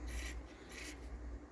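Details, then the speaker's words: Onkyo M5060R/P3060R amplifier under restoration: two short raspy crackle bursts as the volume knob turns in a quiet room; scratchy volume pot that needs cleaning and lubrication. "Now listen to this switch here. It's a volume pot. Definitely needs some cleaning and lubrication."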